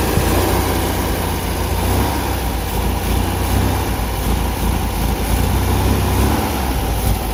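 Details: 1974 MGB roadster parked 30 years, new points, rotor and plugs: low lumpy idle that wavers and stumbles; after fuel pump seemed not to deliver, clacking now quieter, maybe fuel getting in, still running rough, oil pumping from dipstick tube.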